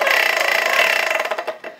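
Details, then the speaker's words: Ryobi P21081VNM leaf blower with damaged or missing fan blades: harsh, raspy roar with fluttering rattle, then spinning down, plastic blades rubbing the housing, reducing airflow; fixed by replacing the blade. "you can hear the plastic just rubbing up against the other plastic and eventually this entire blower will be no good good"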